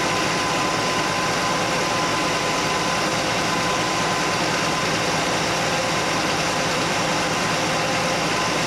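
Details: Straight-six Chevy Nova at steady idle after correcting one crooked, loose rocker arm; clank gone, valvetrain sounds healthy with no tap breaking through. Rocker adjusted, then backed off from 3/4 turn because it ran rough. Normal idle.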